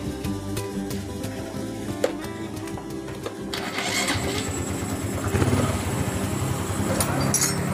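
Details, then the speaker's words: Honda Supra X 125 FI after repair of rough engine noise from mid-engine: worn connecting rod pin and con rod replaced; single catches quickly and settles to smooth, even idle, no knocking, normal again. "bingung ini tiap suara mesin sudah halus kembali sudah normal ya berbeda dengan suara sebelum dibongkar"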